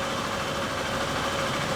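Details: 2011 Honda Bros 150 motorcycle after shop repair of a customer-reported strange engine noise, test run: even, steady single-cylinder idle with a smooth, unchanging beat, no knocking or rattle. Normal idle.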